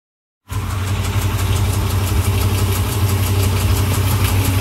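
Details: Hemi V8 with only 37K miles at idle, with a fast regular tick of about three per second over a deep rumble; tick with possible bottom-end knock, cause not confirmed.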